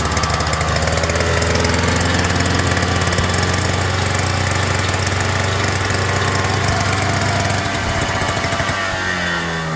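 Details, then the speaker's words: Toro 2-stroke single-stage snowblower, surging for years, after carburetor jet filed open: loud, raspy engine whose revs hunt up and down and sag; still constantly surging, new carburetor suspected. "nothing the only thing I can think of is maybe a new carburetor it's just constantly surging surging surging"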